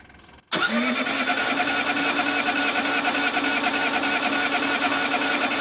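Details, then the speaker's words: Case 1835C skid steer diesel with broken piston rings, on two new 24-volt starter batteries and glow plugs on 12 volts cycled 20 to 30 seconds: an even, sluggish crank about three per second that never fires; the owner thinks the starter is failing. "So far, it's not looking good. That is the sound of 2 new batteries that I just put in it. That's my starter giving up."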